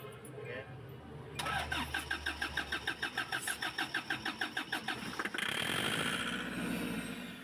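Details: Kia Bongo 3 that only cranks one morning: even starter chug, about three beats a second, for four seconds without firing; found to be injectors 1 and 4; crank no start from faulty injectors.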